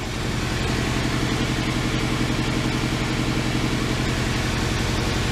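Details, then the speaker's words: Honda Civic EP3 Type R running very badly: steady idle with an uneven, stumbling beat and a regular dip. The misfire persists after swapping injectors 1 and 2, with the number one coil unplugged; the cause is still being diagnosed. "start the misfire is still there but now we unplugged number one coil"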